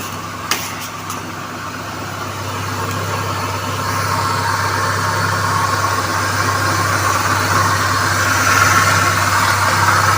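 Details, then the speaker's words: Engine idling at 1000 rpm with the check-engine light on, making a rough, gritty rumble and faint rising hiss from the accessory belt drive; a mechanic's stethoscope pinpointed a worn idler pulley bearing. "e assim eu tô conseguindo ver qual o rolamento que tá fazendo barulho"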